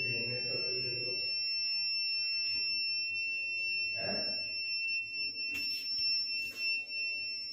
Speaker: दोस्तों अगर आपके आरो में जो कि य पर दे कैंट ग्रैंड है इस तरीके की बीप आ रही है तो यहां पर क्या करना चाहिए इस वीडियो में देखेंगे यहां पर फिल्टर चेंज का अलान आता है